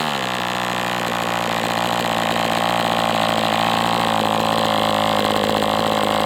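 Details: MDS 68 FS Pro four-stroke glow model engine on break-in run with 11x8 prop, warm; steady even high-rev buzz with no misses or surges; high-speed needle still a little rich with this plug, still tight; healthy run.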